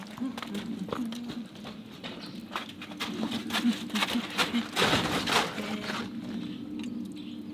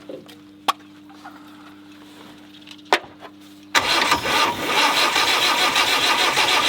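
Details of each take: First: Land Rover 90 with a normally aspirated diesel, unstarted for eight years, oil put down the bores first: slow, steady cranking at two to three turns a second with no firing; cranks but won't start. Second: Normally aspirated diesel in a Land Rover 90, unstarted for eight years, oil put in cylinders: quiet clicks, then after about four seconds catches and settles into loud, steady clatter; starts and keeps running.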